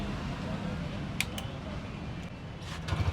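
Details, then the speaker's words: Bajaj Freedom 125 CNG motorcycle after timing chain replacement for chain noise and new clutch plates: quiet even low putter at idle, no rattle or chain slap; normal idle. "देखो भाई, bike start हो गई है, sound देखो भाई, बिल्कुल okay sound हो गया, ठीक है।"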